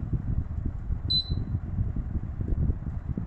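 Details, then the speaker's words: Panasonic F-M14C7 ceiling fan after circuit board replacement, tested on first (lowest) speed; soft whooshing air that rises and falls gently, one short beep, no rubbing or clicking: normal quiet running on low speed. "This is the first one. Yeah, you can hear the wind noise slow down."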